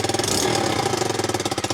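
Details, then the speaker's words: Low-mileage abandoned Honda CBR125 during rebuild: small single idles loud and raspy with sharp popping pulses, exhaust gas escaping through a rust hole in the silencer. "you can hear that loud noise which is the exhaust uh I guess leaking and it's because there's a hole in there caused by rust"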